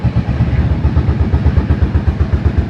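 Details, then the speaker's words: 1983 Yamaha Virago 750 Midnight Special, overhead cam V-twin with rockers, 12,000 miles; even loping idle with steady low pulses, no ticking or valve noise; very quiet, normal idle. "This is probably one of the quietest overhead cam motorcycle engines that I've heard. And this thing's making no valve noise at all."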